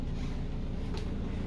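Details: Over-the-range hood running: deep, constant low rumble with no clear fan whine, like the hood shaking its mounting, with a crack in the wall behind the cabinet; source not identified; range hood vibration rumble.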